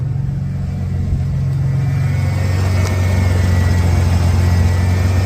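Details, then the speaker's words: 1991 Ford Bronco during restoration, timing set to about 6°: smooth, even low idle with steady beat, no misses or knocks, down to about 850–900 rpm; owner happy though would like slightly lower. "I definitely like the idle a lot better it's down about about 900 I would wouldn't mind if it was a little lower but I can live with that"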